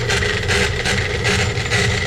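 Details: Laars Pennant commercial hydronic gas boiler circulator pump: a loud, harsh rubbing rumble with a rough pulsing beat and a thin whine, and water leaking out. Suspected broken motor-to-pump coupling and a failed seal.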